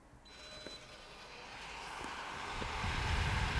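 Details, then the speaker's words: Nova3D Fastcure2 resin curing station: rushing fan noise building steadily over a low turntable motor hum; fans and turntable motor quite loud but operating normally. "so as you can hear fans on this are really quite loud and so is the motor that turns the turntable"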